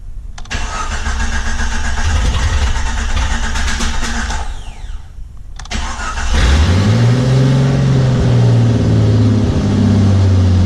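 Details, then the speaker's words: Jeep Cherokee XJ first start after sitting two years, leaking coolant; cranks, catches, revs to about 2,000–3,000 rpm, sags, runs rough and dies, oil pressure good: stalls after start, cause unknown. "oil-pressure look good but it's it's dying out for some reason"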